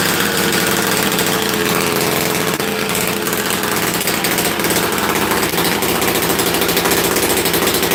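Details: Rarely run chainsaw, started after being flooded and sitting: screams along at high revs with a smooth, even buzz and no stumbling or misfire; running strong and healthy.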